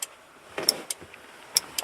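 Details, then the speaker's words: RB25-swapped Datsun 240Z with the key out and the 30A main power fuse fitted: 3–12 V cycling through the ignition system. Sharp, irregular clicks in quick pairs as the ignition relay repeatedly pulls in and drops out. "here's what's making that noise this is the ignition God guys sorry I knew better than to do that but well this isn't working ignition relay going over and over and over"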